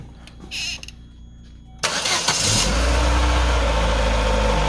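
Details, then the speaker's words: 2008 Chevy Aveo5 after welding repair of a severe exhaust leak: engine cranks, catches and settles into a smooth, even idle with a solid exhaust note coming from the rear, no puffing or ticking leak; normal exhaust. "like it sounds like it's actually coming out of the uh the rear of the car now yeah sounds like it's coming we're supposed to much better that'll do donkey success the car is right back to sounding like it should"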